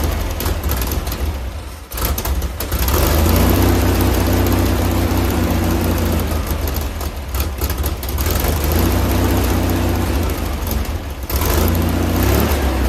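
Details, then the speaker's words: Freshly rebuilt 1600cc VW Type 1 air-cooled flat-four, before tuning, carburetor suspected bad: chugging at a steady fast idle with a slight lope and no knocks or clatter; sounds healthy but needs tuning. "So it sounds good. So it's got to get tuned up, but it sounds perfect."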